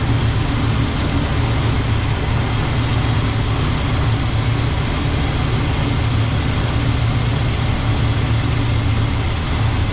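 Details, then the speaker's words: Small block 350 in a C10, setting initial ignition timing with the distributor: deep idle with an uneven, loping beat that never settles because timing was turned too far; about 10 degrees initial ran best. Rough idle from incorrect timing. "now it's idling really rough it's too far"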